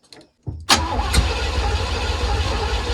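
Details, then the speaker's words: 1980 Pontiac Grand Le Mans small block, carbureted: starter spins the engine steadily but it never catches; accelerator pump not working, fuel not reaching carb, timing suspected off. "The accelerator pump is not working. Fuel is not actually getting into that carb. She's too bunged up."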